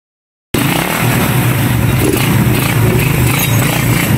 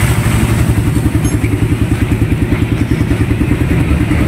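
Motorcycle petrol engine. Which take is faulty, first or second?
second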